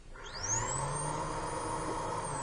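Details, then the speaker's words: 2001 Chevy Tahoe with codes P0410 and P0300: the secondary air pump, fed 12 V directly at its connector, spins up to a high, steady whir; it runs normally and is not defective. "so there you have it definitive proof of a professional mechanic misdiagnosis the air pump is not defective"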